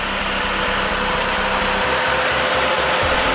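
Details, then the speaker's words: Chrysler PT Cruiser idling with the A/C on during an R-134a recharge: just after the compressor kicks in, the cooling fan switches on and adds an even rushing whoosh over the engine. "Okay, right there, it just kicked in. Okay, and the fan turned on."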